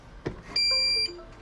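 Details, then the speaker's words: Birch CPQ3 receipt printer at power-on: soft click, then a continuous high beep with arrow light blinking; not a paper error, the cutter cannot cut (cutter fault). "and hear the sound, a continuous beep sound with the arrow light blinking continuously. This is not a paper error. And it's not able to cut."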